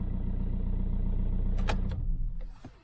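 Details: VW Golf Mk5 diesel after a fuel filter replacement, with ignition cycled to prime the lines: even, low diesel clatter at idle with a steady beat for about two seconds before shutoff. Normal, healthy idle.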